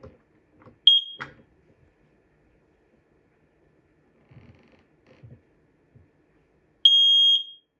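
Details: Standard 10-year ionization smoke alarm under test: a loud, piercing high beep, then a longer one after some handling noise; the sounder works normally.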